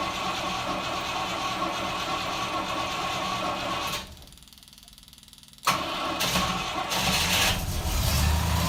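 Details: 1968 Rover P5B V8, start after replacing a leaking mechanical fuel pump with an electric pump, second try after the HT lead was reconnected; it catches cleanly and settles into a steady, smooth idle.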